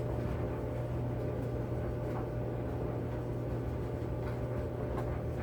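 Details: Kenmore 80 Series electric dryer after drive motor replacement, wet towels inside: steady low motor hum with drum tumbling evenly, no squeal, scrape or thumping; normal running.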